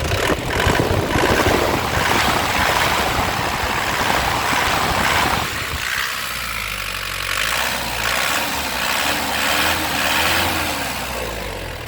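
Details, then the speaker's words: 2016 Isuzu Panther LS Turbo diesel, first owner, sealed factory engine, hot: clean throttle blips settling to a steady even idle, quiet, no shaking or misfire, no smoke; sounds like new. "ya benar-benar istimewa Lur suaranya benar-benar nya kayak mobil baru enak di telinga suaranya mesinnya tenang tidak goyang tidak pincang"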